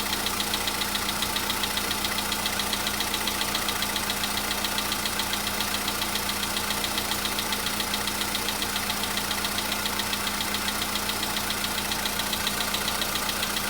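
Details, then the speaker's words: VW Polo Sedan CFNA engine, cold start a day after an oil change and flush, no knock the day before: a light, steady ticking knock at about two or three per second at cold idle; top-end clatter, cause not determined. "Чуть-чуть есть, совсем мало. Нет, есть, конечно. Так вот есть, постукивает."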